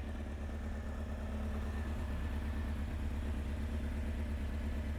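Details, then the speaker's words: Honda CBR900 Fireblade SC33 inline-four, previously running on three cylinders; now firing on all four but idling far too fast at 2,000 rpm with a slight misfire, carburettors badly out of balance before adjustment. "it's running on all four you can hear it's misfiring there was the slightly so also now ticking over way too fast ticking over at 2,000 RPM that's way too too fast"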